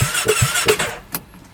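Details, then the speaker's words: 2017 Polaris RZR 570 UTV with 5,032 miles, bought from a dealership as a repo, in park; starter turns it over in quick pulses, popping out the exhaust, but it won't fire; dealer suspects low compression. "So, she cranks but won't [Music] fire."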